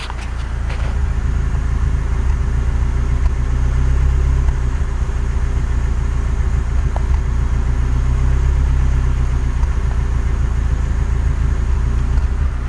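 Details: BMW E30 318i M10B18, warmed up: deep low idle rumble that stumbles unevenly, misfires and pinging from exhaust; rough idle, smooth after disconnecting oxygen sensor, so faulty oxygen sensor suspected.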